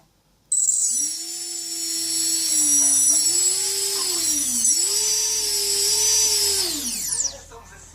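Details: Small electric motor powered from battery, fitted with new bearings, whines cleanly rising and falling, smooth without grinding or rattle, compared to the same motor with bad bearings.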